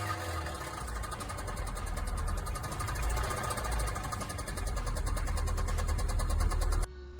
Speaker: Customer states, "My car just started making this clicking noise and won't accelerate.